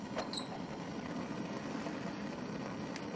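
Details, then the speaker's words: Bunsen burner adjusted with its gas and air inlet valves to a well-mixed flame: steady, even rushing roar with a few small pops near the start, a strong, normal sputtering flame. "if you want to make the flame larger use the gas inlet valve at the bottom to increase the amount of gas you may need to also adjust the air inlet valve to get that good strong sputtering flame"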